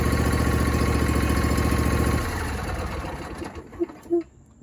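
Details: John Deere D125 mower twin after a no-start fix, where a bent push rod was the main culprit: even, steady low putter for a couple of seconds, then winds down; runs smoothly, no knocks or misses, slight exhaust smoke noted.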